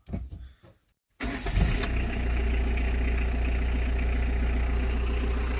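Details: 1998 Peugeot Expert 1.9 diesel (XUD9) van after starter motor replacement, battery reconnected, glow plugs preheated: short quiet spell, then a crisp crank and catch settling into a steady, even diesel idle; normal engine start.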